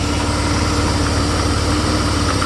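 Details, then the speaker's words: 1991 Mercedes 300E, idling with AC compressor on after a likely stuck injector was blown clear: steady, even low rumble holding idle speed; best achievable, new injectors expected to finish it. "AC is engaged, and that's basically how it runs. I think that's the best I can get this thing to be."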